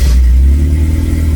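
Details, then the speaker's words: 1981 Fiat X1/9 revived after conversion from EFI to dual Weber carburetors: strong, even engine note through the rev with no misses, pops or stumbles. Normal running. "Perfect. It runs great."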